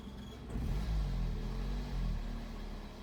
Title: Fluctuating iddle when engine is warm, rough idle